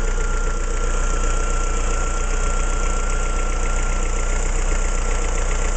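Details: Opel C16XE engine at idle: steady idle with a fine high whine over rhythmic ticking about three per second; abnormal noise, cause unclear.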